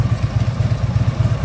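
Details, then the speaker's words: 2010 Harley-Davidson Ultra Limited V-twin after primary shaft bearing replacement: a low rhythmic clatter of about five beats per second at idle, traced to the worn front motor mount. "that little bit you're hearing that is the front motor mount"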